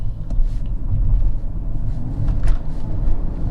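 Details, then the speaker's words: Mercedes S600 W221 M275 V12 bi-turbo after replacing blown intercooler Y-coupler: deep, even rumble pulling hard under acceleration with no hiss; boost holding, no leak. "Yeah, it's definitely not leaking now. This thing's making a lot of boost."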